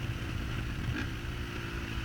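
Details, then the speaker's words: 2008 Honda CRF450R carbureted engine after jetting and accelerator pump tuning: clean revs with a crisp, sharp throttle pickup and no bog, air-fuel ratio about 12.9–13.2, with some popping on deceleration. "you can hear the accelerator pump there that we tuned also real crisp sharp very sharp bite when the bikes running good"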